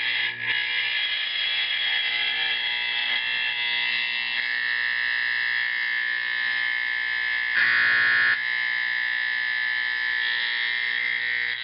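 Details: Simplex 4051 24 V DC horn converted to a 24 V AC 4050, adjusted while sounding: loud, steady, even buzzing tone holding without fluttering; correctly adjusted fire alarm horn.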